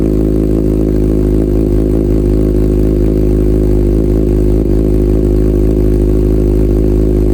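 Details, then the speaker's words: Salvage-rebuilt Kawasaki Ninja ZX6R idling while warming up so coolant circulates, about 63°C and heading toward 98°C fan-on. Smooth, even, fast-pulsing idle with no knocks, misses or rattles; it runs healthily. "right now the temperature is 63° C we're getting up there still running it's running good it sounds good"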